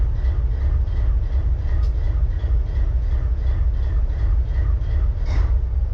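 Deep diesel idle with an uneven, stumbling chuff about three times a second instead of a smooth beat, so a cylinder is misfiring.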